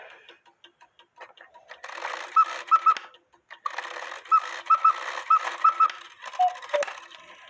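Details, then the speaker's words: Count-wheel cuckoo quail clock after adjusting cuckoo bird wire so it no longer catches the quail wire: clean repeated two-note cuckoo calls over soft mechanism ticks, no stray chirp; normal cuckoo call. "and the cuckoo bird wire is no longer hanging up on the quail bird wire so now it doesn't chirp while it cuckooed"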